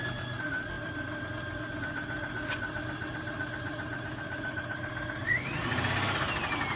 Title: Nissan extera knocking noise WHAT IS IT ???